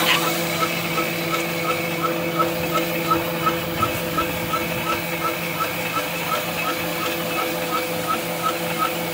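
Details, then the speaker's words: SVPG-2 slotting/drilling machine (Dnepropetrovsk plant), repaired August 2017, slotting and drilling automatically on two tables; steady motor hum with evenly spaced ticks about three per second as the table travels, runs smooth and healthy. "Станок позволяет долбить пазы и сверлить отверстия в автоматическом режиме на двух столах. Показываем в работе."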